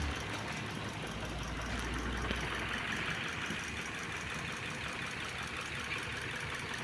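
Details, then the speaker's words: 2014 Mitsubishi Swift, power loss; uneven idle with irregular stumble, missed beats each second; scan says cylinder 3 coil loses signal, appearing after revving: misfire from cylinder 3 ignition coil signal loss. "El que nos está marcando la computadora. No, el escaneo marca que este es el que pierde la señal."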